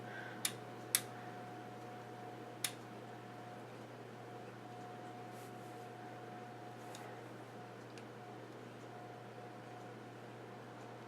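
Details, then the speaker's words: Kenwood TS-440 transceiver in test mode after solder reflow on its display and control boards; the display is stuck on all 8s. A few crisp single clicks in the first three seconds over a quiet hum: the rear relay switching correctly as the radio steps through its test. "Oh, okay, now you have to listen for that one. A relay in the back."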